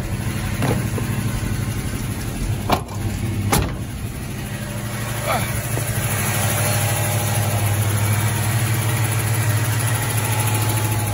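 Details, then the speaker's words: 1978 Plymouth Volare Super Coupe V8, first cold start after years of sitting, fed gas from a bottle via carburetor: cold idle with light fast tick over rumble, lifter tick expected to go away once warm. "a little bit of a lifted tick that'll go away after it warms up"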